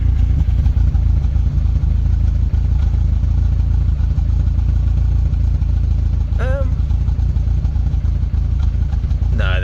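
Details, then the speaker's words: Rover 25 GTI, 1.8L VVC engine, idling after Wynns injection cleaner added to fuel: loose uneven beat with occasional dropped pulse, less steering-wheel vibration; misfire persists despite new rocker cover gasket and bleeding. "It's weird because it sounds a little bit like it is better, but then it also sounds like it's not better. I mean, holding the steering wheel, for example, it's not as vibratey as it normally is. There's definitely still a misfire ther"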